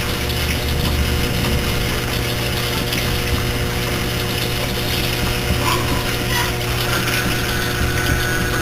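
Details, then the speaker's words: Three-year-old Whirlpool Cabrio washer (bought 2008) during the wash cycle: steady low hum, rushing water and a faint ratcheting underneath, a new unfamiliar noise whose cause the owner doesn't know. "wash oh wait m that's a new noise I don't know what that noise is"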